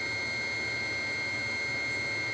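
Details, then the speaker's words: Webasto Thermo Top Z/C-D diesel water heater bench-tested with analog board on a single plus control wire: steady, even whir with a thin constant high note while fuel pump ticks, glow plugs, blower and water pump run start-up checks; normal. "już słychać jak pompa paliwa stuka czyli sprawdziło sobie że wszystko jest w porządku w układzie teraz sobie pyka pompa podaję paliwo na na palnik"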